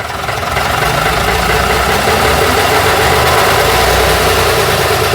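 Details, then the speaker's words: Routemaster bus RM1009's original AEC diesel just started via the toggle, idling while waiting for the gearbox-pressure and brake warning lights to go out; rough, even clatter with plenty of body vibration, no odd knocks, sounding very different from a Cummins; normal idle. "Oh, it's an interesting throttle. Sounds, hey, there we go. Sounds very different from the Cummins engine."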